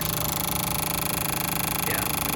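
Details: Driver-side number one fuel injector from a car idling rough, bench-tested: rapid even ticking, but it flows only about 20 versus 100 or more; clogged injector.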